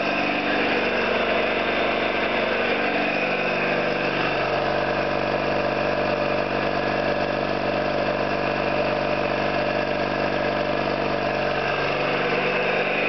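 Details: Orlík 2 JSK 75-2 piston compressor at one of its first starts after rebuild (valves, seals), motor provisionally started in star because of the house breaker; steady even thumping at constant beat, no knocks or squeals; normal running.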